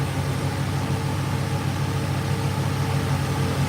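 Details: 1986 Chevrolet Silverado with new aluminum radiator: steady low even whoosh and hum, no ticking or rubbing; both electric cooling fans and the oil cooler fan running normally.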